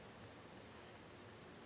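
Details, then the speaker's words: Yaesu FT-901DM transceiver, previously recapped power supplies, through an external speaker: only a faint steady hiss with a slight low buzz and no receive audio, though audio worked at first power-up; audio board suspected. "you can hear a slight buzzing but nothing there's no audio and I did have audio at first when I uh powered this thing up but so something else has gone wrong with it"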